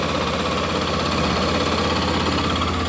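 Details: Honda CB 300 engine at idle with a light, quick "tec tec" tick about three per second over the engine. The source of the ticking is unknown.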